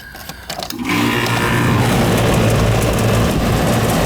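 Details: Second-floor home AC condenser not cooling the house, started after replacing a puffy failed capacitor: a click, then the compressor picks up and settles into a steady even hum with fan rush; starts and runs normally, though the system appears overcharged.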